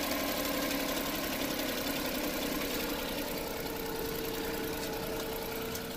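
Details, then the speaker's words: Every van with a horrible engine noise, started briefly with alternator/water pump belt removed: fairly even idle with a light steady tick, no chirp or whine, much quieter; noise traced to that belt drive, water pump pulley suspected. "much quieter so it was something to do with that belt"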